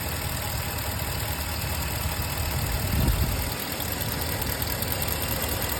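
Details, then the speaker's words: 5.7 Hemi truck on Redline 5W30, about 600 miles since oil change, checking for piston slap: steady idle with a light, even injector tick, no slapping or knocking; phone near passenger-side wheel, then from above under hood. "i hear nothing but an injector speaking"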